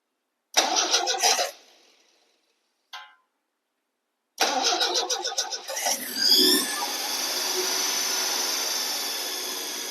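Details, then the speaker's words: 1977 MGB 18V engine just fitted with replacement cylinder head: cranks, catches and settles into fast run with a strong airy hiss; large intake vacuum leak, suspected behind the heat shield near the SU carburetors. "all right found what I think is probably the issue with this Vacuum Lake behind the heat shield"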